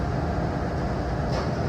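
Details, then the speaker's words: Turbo Air walk-in freezer, R404A system, roof-mounted compressor found very hot and not running: only even condenser fan rush, no compressor hum; technician suspects lost refrigerant, with a failed Supco 3-in-1 hard start kit fitted. "风扇有转，但是压缩机应该没有转，我摸一下。哦，压缩机是特别烫，压缩机是热的，哇，特别烫，压缩机特别烫，我看有可能那个没有氟良了，有可能没有氟良了。"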